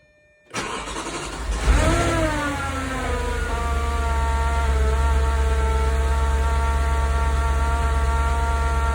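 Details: 9k-mile 2004 S4 cold start: it catches quickly with a rev flare, then settles to a smooth, even high idle with a loud fan rush and normal TFSI ticking, no chain slap. Normal cold start.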